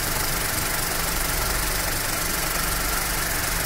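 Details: Skoda Fabia with overheating and AC problem after replacing the faulty cooling fan relay: smooth idle with steady rushing air from the radiator fan now running normally.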